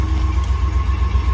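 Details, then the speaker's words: 2019 Ram 1500 Tradesman after repair of a broken exhaust flange bolt; deep, steady idle with even low exhaust pulse and no ticking or puffing at the manifold; exhaust sealed, no leaks, healthy. "Now, as you can hear, she's a happy girl. We got no leaks, nothing. She's happy."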